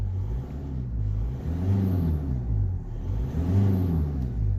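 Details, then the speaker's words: VW Golf 5 TDI 105 hp diesel, automatic, in neutral, heard through the lowered window after fitting a new high-performance air filter: two clean throttle blips, deep diesel rumble rising and falling smoothly with no hesitation or rattle; normal revving. "Donc on se met en mode neutre pour donner quelques petits à-coups et je vous montrerai."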